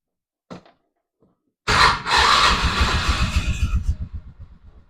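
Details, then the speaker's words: 2004 Polaris Ranger 500 4x4 in neutral after primary and secondary clutch replacement; it had shifted hard while running. Catches at once and settles to an even, steady idle with no knocks or slipping; runs better. "So, we're in neutral now. Sounds better. Looks better. Runs better."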